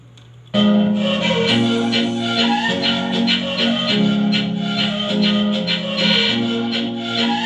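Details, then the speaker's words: Transistor amplifier after repair; one side had given crackling, distorted sound from a burnt resistor, now replaced, and a loose speaker wire reconnected: music plays clean and full with no crackling, buzzing or breakup; normal amplifier playback. "तो दोस्तों amplifier okay हो चुका है, सिर्फ एक resistance का fault था, इस वजह से फटी फटी आवाज़ आ रही थी।"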